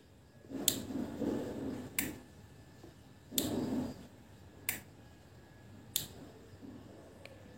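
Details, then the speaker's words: Automotive relay bench-wired with supply on pins 85/86 and a lamp load (about 0.32 A): sharp dry clicks about every second or so, each pull-in and release crisp and clean; the lamp lights and the relay switches normally. "teman-teman bisa lihat lampunya ya tuh temen-temen bisa denger Nih suara relaynya berbunyi"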